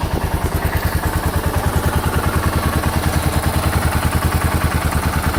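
A heavy, regular knock about three times a second rides on the low single-cylinder idle thump; there is a loud knock from the bottom end. Cause suspected, not confirmed.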